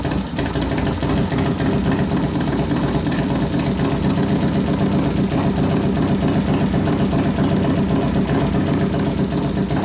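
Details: New 1993 Harley FXR build with 89ci Evolution stroker by Tatro Machine, while warming, accelerator pump turned down, air cleaner off: loud even V-twin idle with steady loping beat, no misses or stumbles, running cleanly.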